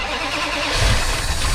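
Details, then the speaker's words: Van sitting 15 years, with new spark plugs, plug wires, distributor cap and rotor, started with starting fluid: it cranks, stumbles, then catches into a ragged idle, smoking heavily. A cold start after long storage. "oh there you go it's running oh yeah it's running it's running now"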